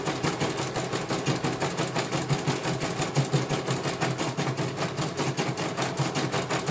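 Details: CNY computer embroidery machine from Banjarnegara, Central Java, test-stitching after service (dynamo motor earlier wouldn't spin at all): quick, even ticking about three stitches per second, no grinding or rattle; one colour finished, result very good, normal stitching.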